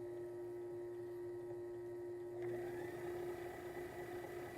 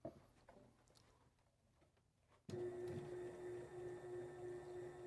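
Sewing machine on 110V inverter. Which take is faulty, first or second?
second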